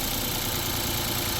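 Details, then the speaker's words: 2017 Honda Pilot with customer rough-running complaint: jumpering the single-wire rocker arm oil pressure switch connector to ground reads on and the idle turns uneven, shaky and lumpy. "See there, it goes to on, and now it's running cruddy."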